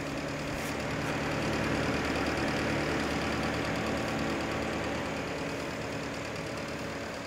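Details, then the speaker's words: Early-1980s Sears (Lasko) 9-inch window fan with a C-frame motor, cleaned and fitted with an extra thrust washer: steady hum with light regular clicking about four a second, characteristic of these motors and normal, bearings like new. "that sort of noise that you hear that sort of clicking noise is a characteristic of these C frame motors"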